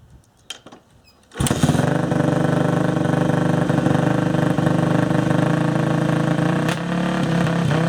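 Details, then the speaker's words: Yamaha YZ426F single-cylinder dirt bike, bought non-running, first start after refitting the carburetor needle seat with a thicker O-ring: catches after a pause and settles to a fairly steady idle; it runs. "So, there's some evidence that it actually runs."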